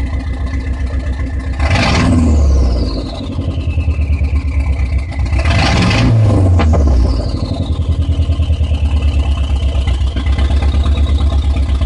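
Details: Dodge SRT-4 with suspected rough idle: low idle pulses unevenly between two quick throttle blips, turbo whistle on top, lumpy unsteady beat.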